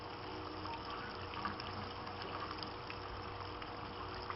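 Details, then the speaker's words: Aquaponics grow bed bell siphon fed from goldfish pond: steady water rush and irregular gurgling without breaking into silence; siphon not breaking, owner suspects not enough air getting in and more holes needed. "I can hear it gurgling I think we might need more holes yeah it's not breaking the siphon not enough air getting in more"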